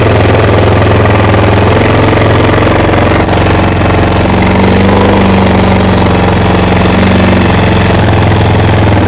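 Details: ATV after carburetor cleaning for bad gas, during idle adjustment: small single-cylinder runs steady and even at idle with a firm low thump, no misses or surging; runs healthy.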